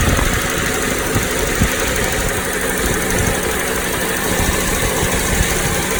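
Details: Toyota Noah, 60 series: at a steady idle an uneven rattling clatter, not a ticking, comes from the middle of the engine rather than the alternator side and is louder inside the cabin; flushing and an additive did not change it; the source is unconfirmed.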